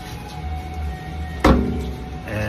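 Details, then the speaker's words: Champion UH300 M4-series undercounter commercial dishwasher with cold water feed, button pressed to start wash; steady low pump hum, then thump and fuller churning tone, wash temperature where it needs to be; normal wash cycle. "It's just running wash. You can hear it. It's running."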